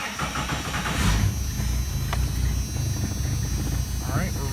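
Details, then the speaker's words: 1996 Jeep Cherokee XJ 4.0L just after installing a Rough Country throttle body spacer: brief rough, iffy startup then steady even low idle with no knocks or misses; running well, no engine lights. "we're running well. Had a little bit of an iffy startup, but no engine lights."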